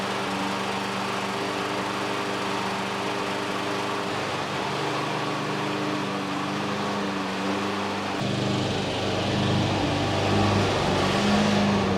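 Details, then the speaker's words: Exmark EC21KA mower with a Kawasaki FJ180 in a backyard: small single runs steadily, then its pitch sags and wavers unevenly as if starving for fuel without quite dying; owner suspects a sticking float; engine surging and dying. "so i noticed the times when i start to die down is when is when i'm hitting a few bumps here and there in the backyard"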